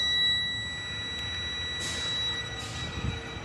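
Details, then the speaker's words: GHG14 Detroit Diesel with a 1-box NOx sensor drifting high, running a DEF quantity dosing test (spec 108–132 ml) with the DEF filters pulled: steady, thin high-pitched whine with soft hiss bursts as the DEF pump builds pressure normally. "You will hear your DF pump building pressure, and there you go."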